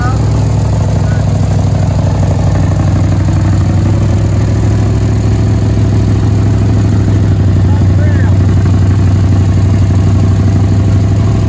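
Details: 1967 Chevelle dirt-track race car V8, first run after sitting in the woods: a loud, deep, steady rumble with an even beat and no misses or knocks. It idles normally.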